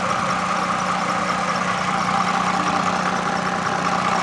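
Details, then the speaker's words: 2007 Toyota Camry XLE V6, recorded November, at idle in cold weather: smooth engine with a faint cricket-like chirp repeating under two times a second from a slightly squeaky serpentine belt; owner will replace it if it still squeaks in spring. "and you're also going to hear sound of like crickets here and that's just a little the serpentine belt in there being a little squeaky D which can happen at colder times the year"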